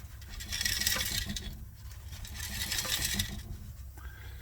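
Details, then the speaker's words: 2011 Ford Galaxy diesel at idle, heard from underneath: loose, gritty metallic rattling in two bursts from a broken-up DPF, which needs replacing. "Can you hear that rattling? Um that is actually the DPF broken up."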